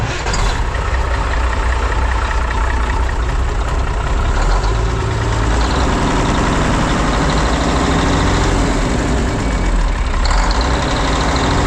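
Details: Mack silage truck diesel in cold weather, checking the newly installed Dynatard engine brakes: deep, steady idle with an even beat, no knocks or misses. Normal idle.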